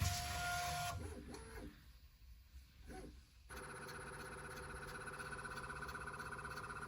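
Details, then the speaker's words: Bambu Lab P1P 3D printer after stepper motor replacement for a grinding noise, first power-up: stepper motors hum in steady, clean tones with no grinding; normal homing sequence. "Okay, everything's looking good so far. It's doing its normal homing sequence."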